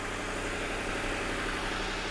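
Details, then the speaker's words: Ford Crown Victoria police car, fuel-injected 4.6 V8, about 130,000 miles, started after 12 months sitting: smooth even idle with steady low rumble, no knocks, ticks or misses once oil circulated; engine healthy. "As soon as the um the oil was moving around, it's silky smooth, aren't they?"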